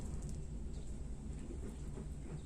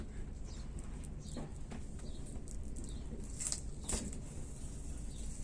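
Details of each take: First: Paintbrush held close while wetting out a polyester fibreglass repair patch on a hull: quiet, soft low rumble with no snapping or crackling, indicating well-consolidated laminate without air bubbles. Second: Faint crackling and popping, like frying bacon, under a squeegee pass over wet polyester fibreglass laminate on a hull repair, from trapped air bubbles; consolidated areas make no noise.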